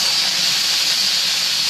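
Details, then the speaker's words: Boiler safety valve being set on steam, popping at 121 and reseating around 119, about 2 lb differential: steady sharp high hiss with no flutter or chatter; valve lifted cleanly and venting evenly. "okay it's going to pop off at 121 so I got like 2 lb differential"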